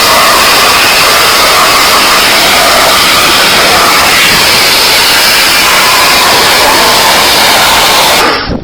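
Steady, even hiss and motor hum with no surging or stuttering for eight seconds, then a clean shutdown; the washer is running normally.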